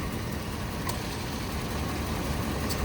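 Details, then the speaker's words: 1997 Ford F-250 with 460 gasoline V8, about 96,000 miles, idling; low, slightly uneven, lumpy idle; owner suspects it needs plugs, rotor and the original-looking wires. "Seems like it's running a hair rough. Could use plugs, wires, rotor. You know, those are original wires by the looks of it."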